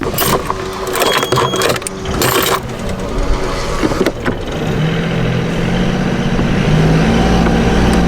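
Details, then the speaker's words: Boat engine with the gearbox isolated, propeller shaft disconnected, after earlier cone (clutch) repair: steady even hum with faint rising whine, unlike the strange noise heard with the shaft connected; gearbox possibly fine running unloaded, not confirmed. "you hear that it's uh a totally different sound so you know we might have a case where the gearbox works you know on its own"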